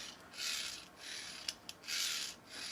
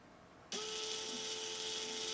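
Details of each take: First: Neato robot vacuum wheel drive after a "wheel stuck" complaint: dry, rasping whirr in short bursts with sharp ticks; these gears sound drier than a smoother comparison unit, possibly less lubricated, though readings showed no fault and the issue was gone. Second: Neato robot vacuum wheel drive motor on the bench, compared after a "wheel stuck" error, reading about a hundred like the others: it spins up instantly to a steady, smooth single-pitch whine with no grinding; healthy, no difference found.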